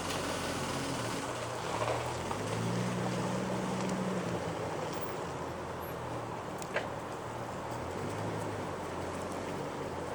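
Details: 1996 Jeep Cherokee XJ: after replacing the valve cover gasket, PCV valve and breather hose, a breathy whoosh, ticks and rattles swell with throttle when moving forward in first gear; idles normally, no warning lights, cause unknown.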